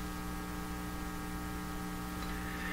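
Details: 1940s Canadian Red Cross tube radio, no schematic, stray resistor removed, supply only about 70 V: loud steady buzzy hum with no program audio. The owner suspects an open volume control; cause unconfirmed.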